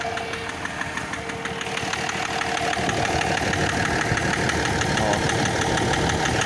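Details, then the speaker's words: BMW M57D30 diesel at idle, smoke from turbo side: steady idle with regular hard knock about three per second from a faulty injector, plus ticking hiss of exhaust leak at the turbo. "это секет, сама турбина секет. Выхлоп."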